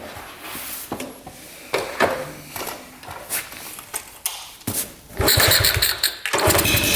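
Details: 1972 Honda CT70 with bogging problem, timing checked against F mark: ragged uneven bursts that stumble and surge as throttle is blipped; ignition firing about half an inch late, retarded timing, fix by adjusting points gap.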